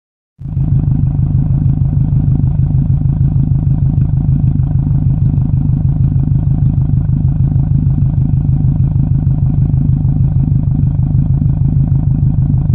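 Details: 2007 Subaru WRX, exhaust at idle: steady burble with a repeating uneven thump about three times a second; possible misfire, not confirmed.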